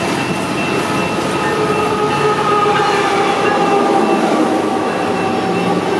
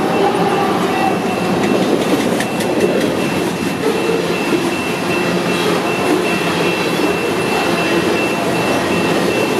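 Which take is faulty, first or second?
second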